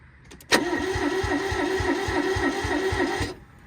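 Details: Barn-find Toyota Corolla AE82 4A-GE, injectors plugged in and priming fuel: steady starter cranking about 3.5 turns a second for nearly three seconds, never catches; cranks but won't fire, cause unconfirmed.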